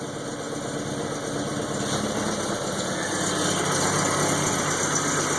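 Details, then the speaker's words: 1971 IPD-built Volvo 140 (142), cold engine: with the fuel ratio controller turned richer, the idle smooths out into a steady, even idle with no stumble or misfire. "Now that it's cold, I just turned up the fuel mix to be more rich, and you can see how the idle just smooths right out."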